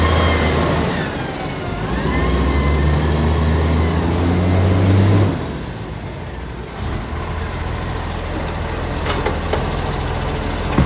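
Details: Ryde Recycling SL757 diesel refuse truck, going into its 11th year of service, on its collection run: fast, fairly even puffing tick about four per second over the idle rumble, from an exhaust leak.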